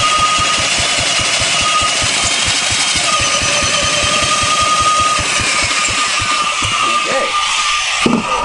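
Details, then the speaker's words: 1970s Briggs & Stratton four-stroke generator engine built for Princess Auto, tried with and without choke: steady chuffing about five strokes a second with no firing; cranks but won't start. Fuel is present; no spark at the points; condenser questioned. "Let's see what's happening down here on the points front. Remember, she's a 4-stroke, so take her 3, 4, and she closes there. You know what? No sparky."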